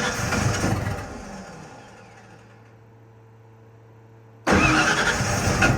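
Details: Ford F-150 with the 362w PimpX ECM: the starter cranks, fades into a low hum and quiet, then cranking resumes, and the engine never catches; a crank-no-start.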